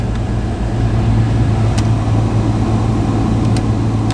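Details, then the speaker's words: 1997 Honda Civic hatchback, about 24,000 km, idling while warming up after start: steady, even, low hum, engine sounding healthy. "yeah so the heat crank in this thing for for a bit it has about 24 000 kilometers on it the engine actually sounds amazing"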